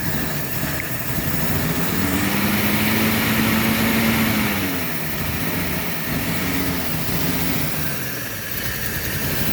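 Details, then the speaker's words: 1948 Chevy coupe running after 55 years off the road, carburetor primed by hand, fuel pump suspected not pumping; steady even idle with soft quick patter, quiet like a sewing machine, no knocks or misses; normal idle. "it sounds really good the engine is like a sewing machine it's so quiet so quiet"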